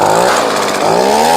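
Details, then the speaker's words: Echo PV2100 leaf blower after a carb rebuild, with the limiters removed and the high-side mixture adjusted further: high, buzzy two-stroke note that dips and climbs cleanly with the throttle, no stumbling or bogging. Runs right now. "Sounds pretty good for an old blower."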